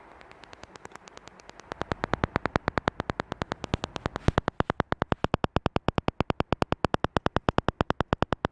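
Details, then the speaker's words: Land Rover parking sensor during fault finding: crisp, perfectly even ticking about three clicks a second as the sensor sends ultrasonic pulses; this sensor is working normally. "so I really really hope you could hear that clicking so that's basically how the sensor works is a serer it clicks it sends that Soundwave that Soundwave hits the obstacle comes back to the sensor and the sensor detects that return"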